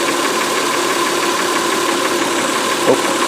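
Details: 2004 Honda Pilot 3.5 V6, flashing check engine light, misfire on cylinder 4: idle has a regular uneven puffing stumble with a beat dropping out; intermittent misfire traced to a loose injector connector, disappears when connector is secured.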